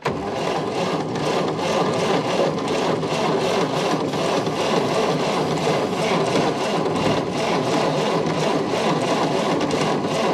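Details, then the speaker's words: 1929 Ford Model A Coupe, sitting over 45 years, cranked while checking for spark at a plug: steady starter churning, no firing, no spark at the plug though spark reaches from the coil; carburetor also suspected. Cranks but no start. "Stop. I don't have spark here. Hit it again. Stop."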